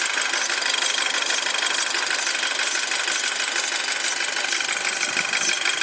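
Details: 2007 Audi A4 at cold idle: rapid high-pitched chirping about three times a second rides steadily over the idle and goes away once the engine reaches proper temperature; source not pinned down; squeak/chirp at cold idle.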